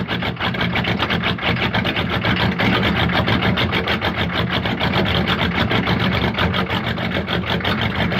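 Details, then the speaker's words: Diesel-swapped Monte Carlo, cold start in snow after sitting, no throttle, little glow plug heat: an uneven, lumpy idle pulsing about three times a second with diesel clatter; it smooths out once the glow plugs warm up. "that [ __ ] sounds like she's got a 550 cam in her I love that"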